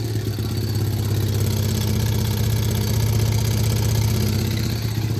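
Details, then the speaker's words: Steady idle with a very loud, sharp, regular tick about four per second that follows engine speed, coming from the clutch-side case; removing the heat shield and skid plate did not change it. "it has a very loud um tick coming from the this side case clutch side"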